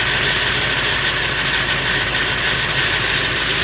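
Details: Late 1999 Ford F350 with the 7.3L Powerstroke diesel at idle: a constant, tinny rattle sits steadily over the normal clatter. It is more pronounced under the truck. The owner wonders whether it is the flexplate or the engine; the cause is unknown.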